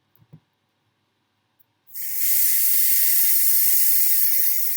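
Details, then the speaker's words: Pressure King Pro pressure cooker at the end of its first clean cycle, with the valve set to open to release excess pressure: after quiet, a sudden steady hard hiss of venting steam. Normal steam release. "So I'll release the steam and then I'll be back. Okay, so the PKP is almost finished. It's just letting out that excess bit of pressure."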